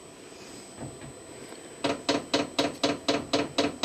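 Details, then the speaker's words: New Vevor diesel heater at first start, around 13°C: sharp, even ticks about four per second over a faint fan hush as the dosing pump runs loudly. No diesel smell or combustion yet. Heater not igniting; cause suspected, not confirmed. "Okay, so the pump is now pumping away. You can hear it, which is quite annoyingly loud."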